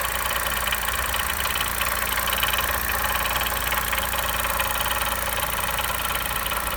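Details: Chevrolet Onix Turbo 2020, after first start and pressing the brake pedal: fast, slightly uneven ticking about three per second over smooth idle, new noise; owner suspects vacuum pump, GM says normal characteristic.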